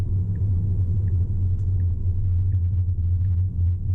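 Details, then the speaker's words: Tesla driving on Full Self-Driving: steady low road rumble with faint, evenly spaced light ticks and no squeak or groan from the front end. The earlier squeaking noise is absent here, so this is normal cabin road noise. "I love full self-driving. I'm so glad the car isn't making any noises."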